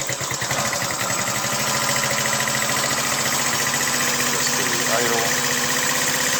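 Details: 2009 GY6 150cc four-stroke scooter with 900 miles, after repair of a no-start traced to a trashed piston and seized rings: single cylinder ticking over steadily with a quick, even beat and no knocking. Healthy idle.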